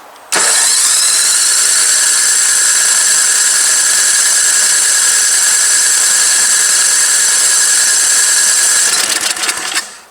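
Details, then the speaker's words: Old MTD Yard Machine snow blower being readied for winter; it has good compression, confirmed spark and is getting fuel. A steady, high starter whir runs about nine seconds without the engine ever catching: it cranks but will not start. "That just does not want to stop. I'm getting fuel. Yeah, I'm still getting fuel. She's not happy."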